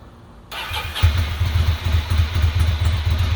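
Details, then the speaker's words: 2006 Ducati Monster 800 after fuel pump replacement; the clogged front-cylinder injector was cleaned. It cranks, catches and settles into an even, lumpy twin idle of about four beats a second, now running well on both cylinders. "so that cleared off too so now she's running well on both"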